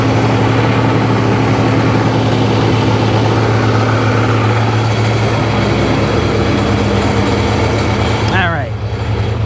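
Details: 2005 Sea-Doo 3D 787 two-stroke, previously submerged, running on hose water with a little oil in the bottom end: smooth, constant low drone, smoky, no knocking or rattling from the bottom end; sounds healthy.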